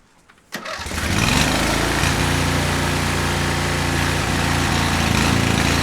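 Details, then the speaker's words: Cub Cadet 1641 lawn tractor, engine hot and running with the choke on, on very old whiskey-coloured, oily gas: it catches and settles into an uneven, lumpy, wavering run, rough throughout from stale fuel. "Still running normal with the choke on? It seemed like it was running rough kind of all the time. Yeah, it kind of was."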